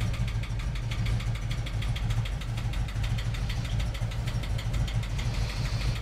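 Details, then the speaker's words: 1988 VW Vanagon after new mid-pipe, catalytic converter and muffler: deep uneven idle with regular stumbling pulse a few times a second; misfire, spark plugs considered first, cause not confirmed. "definitely seems like it's misfiring I don't know if I should look at spark plugs first"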